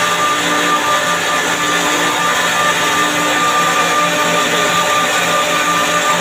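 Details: Chiller compressor checked for abnormal sounds: loud steady running hum with a thin high tone and uneven low throb; abnormal compressor noise, cause not clear.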